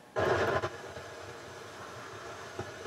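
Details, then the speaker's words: Harman Kardon HK580i receiver: a sudden loud rushing hiss in left channel for about half a second, then steady lower hiss, only when subsonic filter is engaged, independent of volume; subsonic filter circuit faulty. "there's a lot of noise in the Left Channel and it's a rushing uh sound doesn't sound good so the problem with this is the subsonic filter when I press it you hear that try it again"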